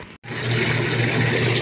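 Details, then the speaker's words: Manual washing machine (with dryer) after gearbox replacement and reassembly: steady low motor hum under sloshing water during wash agitation, no grinding or knocking; gearbox now quiet. "So okay na okay na ang ating gearbox hindi na siya maingay"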